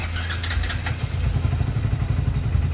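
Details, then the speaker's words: Hero HF Deluxe BS6 motorcycle with a discharged battery and a starting problem: brief cranking whirr, then the single catches and settles into a steady, even low thump, starting cleanly and idling properly. "तो bike हमारी start हो चुकी है। मस्त वाली। Starting बढ़िया। Starting बढ़िया।"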